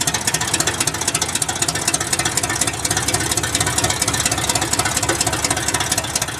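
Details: 1978 GMC K25 truck, first start in years after sitting: loud, raspy, uneven idle with sharp popping exhaust pulses about twice a second, rough because only one of the two exhaust headers is connected.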